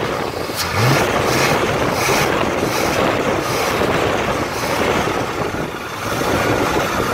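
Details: Malibu Classic, first start in ten years, after setting the electric choke. Steady, even rumble with a slight surge in the first second, then it settles into a smooth idle.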